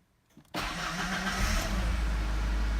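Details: 1991 Ford Ranger XLT 2.3L four-cylinder after starter motor replacement: starter whirs briefly, engine catches immediately and settles to a smooth, steady idle; healthy start, repair fixed the no-start.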